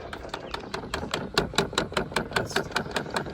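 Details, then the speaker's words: Dodge Grand Caravan rear AC box air mix (blend door) motor clicking rapidly and steadily, two or three times a second, behind the rear trim panels after switch-on; the motor is faulty and gets replaced. "turn it on and the rear air mix motor starts doing a bunch of clicking in here."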